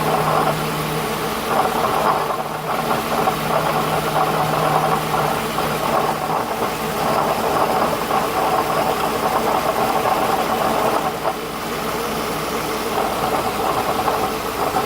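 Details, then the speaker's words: 2008 Toyota Highlander: steady idle with a constant light metallic rattle heard from below, traced by stethoscope to a bad belt tensioner pulley needing replacement; belt tensioner pulley rattle. "but in my case the tension of pulley that was a point that's the problem now I just gotta find one and place it"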